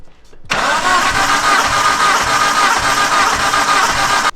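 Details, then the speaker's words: Mitsubishi Evo wagon compression test, cold engine, injectors unplugged: steady cranking at about four even pulses a second with no firing. All cylinders read an even 100-104, lower than expected, possibly washed down by sprayed fluid. "I mean it at least they're all even honestly it's been cranking it's kind of cold it's been spraying 85 in there so maybe it washed down a little bit of the over the cylinders"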